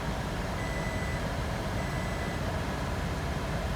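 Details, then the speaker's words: 2007 Toyota Prius that had been sitting, after a cracked coil boot was sealed with dielectric grease: steady, even idle with no stumbles over a low rumble, no misfires and charging; owner fears misfire may return. "okay so the engine is actually behaving now there's no misfires it charging yep"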